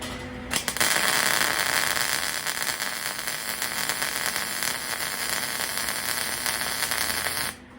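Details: About 25-year-old MIG welder laying weave bead on thin metal: even, crisp frying sizzle held steady for several seconds; normal MIG weld sizzle.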